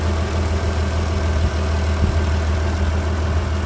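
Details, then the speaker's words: 2003 Mitsubishi Pajero NP 3.8L V6 after MAF sensor replacement, codes cleared: steady low hum with even beat, nothing knocking or missing; smooth healthy idle, no hesitation. "okay guys you can see now the RBM is all good sky is running fine no any hesitations it's very smooth now"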